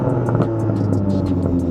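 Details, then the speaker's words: 2022 BMW G80 M3 xDrive with dÄHLer cat-back exhaust, revved in M mode: a deep exhaust rising and falling but muted; the factory valve control doesn't fully open the exhaust flaps. Before the dÄHLer flap controller is fitted. "now when zach puts it in m mode it's supposed to open the valves but what we found is that it doesn't fully open the valve"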